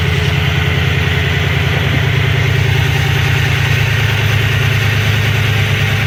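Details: 2007 Ford F-150 4.6L 2-valve V8 with code P0306: lumpy, uneven idle with a low thumping beat about three per second that keeps stumbling, engine shaking; cylinder 6 misfire, coil swap tested, eventually a no-parts repair.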